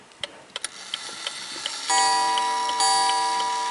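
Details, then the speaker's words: 1881 Ansonia open-escapement marble mantel clock: steady light ticking, then mellow, subdued gong blows about a second apart that fade evenly. A healthy strike. "It's a very mellow chime, which I like. Once on the half hour. Rather subdued, which I like."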